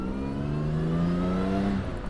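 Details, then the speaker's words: 1959 Jaguar XK150S Roadster, 3.4-litre, roof down, Moss gearbox with overdrive, on the road; strong smooth exhaust note climbing in pitch under full pull, "goes like a train", no misses, reaching the legal limit; normal acceleration. "Fantastic exhaust note. Oh yeah, goes like a train. Brilliant."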